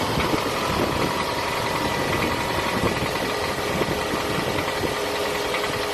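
Idling four-cylinder with a light hollow ticking knock over a busy mechanical clatter; sounds like piston slap rather than valvetrain.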